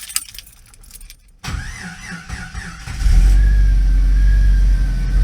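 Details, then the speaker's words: Jeep that died while running an air compressor: after a quiet stretch the starter catches and the engine settles into a steady low idle; a weak battery is suspected, and the alternator may be unhappy. "I could hear the Jeep starting to run weird I could hear the compressor starting to get quiet hasn't ran for a while maybe my battery was just kind of not up to the challenge see if it'll restart"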